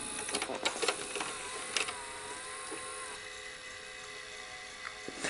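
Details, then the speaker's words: Daewoo VHS VCR after replacing the capstan motor capacitor and cleaning the mode switch: thin motor whir with clicks as the mechanism loads a tape, then a steady hum; speed not yet confirmed. Normal tape transport running. "so it does seem to be playing a tape now and it does seem to be working"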